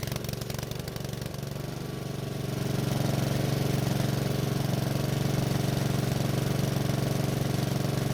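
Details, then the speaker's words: Honda walk-behind mower, hard starting, earlier black smoke suspected from dirty air filter, old gas or plug; test run with air filter removed: single cylinder chugs steadily with slightly uneven, lumpy beat, no black smoke but still running rough. "So it was still difficult to start, but once it did, it didn't blow any black smoke out of the muffler, so it looks like we took care of that issue for the most part. However, it's still running a bit rough."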